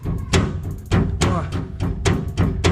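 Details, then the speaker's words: Chevrolet Corsa, front-end noise: a front clamp came loose and its rubber slid out of place, so it knocks against the underbody protector. Rocking it by hand, as over a speed bump, gives hollow thuds about every half second. This loose part is the found cause. "tá toda solta e aí vai fazer toda vez que eu passo a mão no quebra-mola pode ver que tá batendo aqui ó nesse protetor aqui debaixo"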